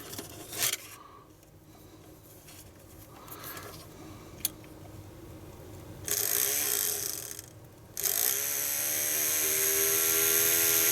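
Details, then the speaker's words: 1970s Romco Star Trek USS Enterprise toy, bought broken, fan powered directly: small motor spins to a high steady whine with no rattle, fan blowing fine. "okay so that's blowing quite fine"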